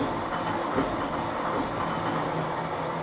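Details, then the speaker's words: Alba 1A shaper slotting steel 1.5 mm deep with cutting oil using a home-made Armstrong-style tool holder: heavy steady rumble with loose stroke rhythm and chattery edge, working harder than in aluminium; vibration from tool holder flex. "so as you can hear, it's definitely working a lot harder on the steel, and that's just the flex."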